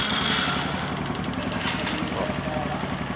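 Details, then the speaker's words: 2018 Honda Biz (title says 110i, owner says 125) at idle: a light, uneven tick-tick rattle over the beat. Owner says it is not the valves and it goes away at high revs. Cause: worn clutch bell. "É o barulhozinho meio chato. É um tectequezinho incomodativo, não é válvula. Ó, é um barulho bem imperceptível."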